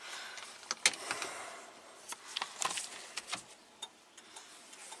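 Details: 1967 Triumph GT6: sharp light flasher clicks ticking over a quiet cabin after a disconnected green and red wire was reconnected; turn signal circuit working again.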